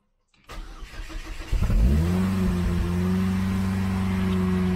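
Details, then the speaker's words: Astra rebuild, first start after supercharger install: starter churns briefly, engine catches and settles into steady, fairly high even idle; high idle normal for the supercharger ECU map. "so the high idle is normal for the supercharger map"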